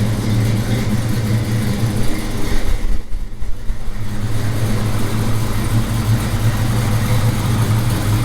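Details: 1978 Chevy C10 carbureted small-block V8, carburetor still due for adjustment: deep steady burble with a brief rev dip and recovery, even firing throughout; healthy idle.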